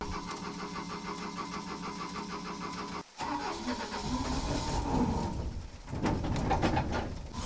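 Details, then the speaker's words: Cheap used excavator parked on a slope: steady starter cranking, then rough uneven running that fades as it dies; owner suspects fuel starvation, the engine not picking up fuel until on level ground; crank, no start. "oh no it just died oh no all right guys I'm gonna put the camera down I think I need to get this thing down to level ground so it'll pick up some fuel"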